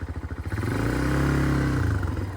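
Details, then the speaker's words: Early-2000s Kymco 150 ATV revived after 10+ years sitting, new carburetor: single-cylinder putters, then revs smoothly and settles as it moves off in gear, brake pulled to engage gear past the safety switch; running steadily with no misfire. "got to do the same thing going in reverse so you got to pull the brake every single time you put it in gear and then let off"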